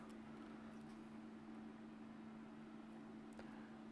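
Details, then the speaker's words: Reflow oven cooling down after baking a solder-pasted PCB: quiet, even hum with one steady low tone, no rattle or wobble, the oven's cooling fan running normally. "ay I hear the oven cooling down so I think we're almost ready for the next board"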